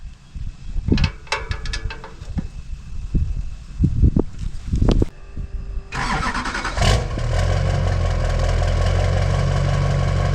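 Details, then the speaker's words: 2002 2500HD 6.6 LB7 Duramax diesel after fitting a new 4-inch downpipe-back exhaust to fix a front exhaust leak and a cracked muffler: it cranks, catches with a rough burst, then settles to a steady, deep, even idle with no ticking or rattle. "Oh, that sounds so much better without the exhaust leak, and the freaking exhaust ain't crackling together."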